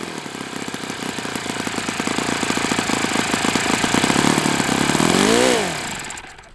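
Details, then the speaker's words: Enya 46-4C model glow engine on the bench, low-speed needle dialed in: fast, buzzy revs climbing and falling with a dry, rattly edge throughout. Owner thinks it needs new bearings, not confirmed. "It sounds like it needs new bearings, which is kind of one of the things I wanted to assess."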